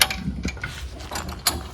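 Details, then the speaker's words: Camper trailer tongue jack, never greased in 3 years parked, cranked up to lift the front: irregular dry clicks, scrapes and ratchety grinding; lack of grease suspected. "You hear making all that noise? I'll lift those legs up real quick. I suppose in the past 3 years we should have greased this, but I didn't."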